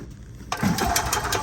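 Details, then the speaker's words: EZGO gas golf cart that won't move after new battery: soft steady buzzing whir as fuel pump runs when gas pressed via relay, then shuts off on reaching pressure; normal fuel pump operation. "When you hit the gas, it is supposed to activate the relay and then it turned the fuel pump on. But now you see the fuel pump just turned off because it reached pressure now"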